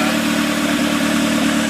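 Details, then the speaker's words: B18 engine from a 1994 Integra swapped into a cheap Acura with a new clutch, pilot and throw-out bearings: fired right up, steady smooth drone with no knocks or misses; earlier squeaky cranking sound traced to a seized alternator; normal running. "we just turn the key on to try it it fired right up I made a funny little sound we thought it was messed up but but turns out it wasn't he works pretty good"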